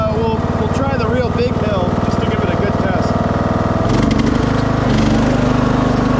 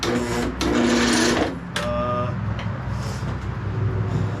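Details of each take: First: 2006 Craftsman LT3000 after new idler, oil change and charged battery, passing hill test; steady single-cylinder thrum with even beat through load change, no rattle or vibration; initial noise blamed on cold hydro transmission warming up. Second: 2006 Craftsman LT3000 lawn tractor, bought not running, on a battery charger with the shroud unbolted: slow, labored, uneven cranking near four turns a second. Solenoid and key switch work. Attributed to weak battery and loose connection; owner also suspects the starter is done.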